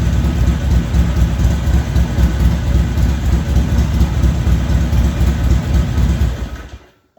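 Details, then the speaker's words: Harley-Davidson XR1200 V-twin after hot start: lopes at a raised steady idle, hanging at 85 IAC steps, then cuts out; high idle, throttle position sensor suspected. "still went and hung at 85 steps for whatever reason so might have to figure out something else"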